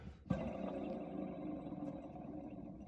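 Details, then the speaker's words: Eagle bus radiator fan pulley spun by hand: rough, gritty whirr fading as it coasts; the owner thinks this worn bearing is shot and caused the loud screech, with new bearings needed. "I think that one's shot and that one sounds like the one that was making all the noise"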